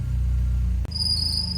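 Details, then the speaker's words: 1992 Mercedes-Benz 190E 2.3 SportLine just restarted after reinstalling the old part, piercing steady high belt squeal over low idle rumble, which then stopped on its own and ran smooth. "Jeez, your belt squeal. Holy crap."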